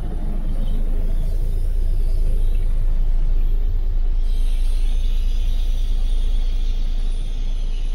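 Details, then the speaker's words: 1984 International cabover diesel semi idling just after firing up: a deep, steady low rumble with an even beat and no knocks or misses; air is leaking from a bad parking brake valve. "Don't that sound good, Brandel? Sounds like something. I mean, this was a nice old tractor."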